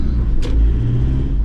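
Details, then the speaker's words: 2012 Land Rover Defender 110 Utility diesel (Puma) on the move after replacing the worn rear propshaft UJ that caused clunking on gear changes: steady low road rumble, no clunks or pinging from the rear driveline; fixed, running smooth. "so yeah that's definitely fixed it there's now no pinging sound so that's one less thing to worry about with this car"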